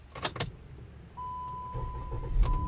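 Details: 2013 Chrysler 200 after adding a ground wire and reconnecting the battery for sporadic no-start/no-crank: key rattle and chime, engine catches right away and settles to a steady idle. Normal start.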